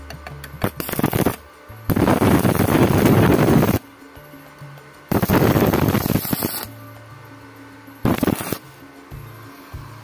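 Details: Wildcraft 120i MMA inverter welder after repairing a no-arc fault, tested at full then half current: several steady arc crackle bursts a second or two long with quiet gaps; striking normally again.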